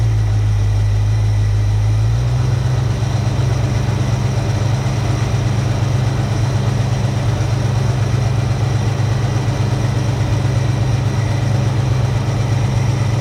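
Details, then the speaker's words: 1966 Ford Mustang 2+2 fastback with 82,000 miles, sitting for years, running after replacing a leaky fuel pump. A deep, steady, even V8 rumble with no misses or knocks: normal idle, "starting to sound better." "yeah you're dirty beautiful starting to sound better now"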